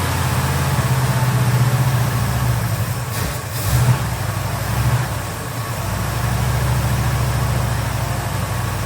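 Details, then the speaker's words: 1971 Chevy C10 carbureted 350 small block, now with accelerator-pump shot after no-start troubleshooting. It runs with a deep, steady idle and a throttle blip that returns cleanly, better than it ever has, though fuel leaks everywhere. "okay well it's running it's actually running really well way better than it ever has"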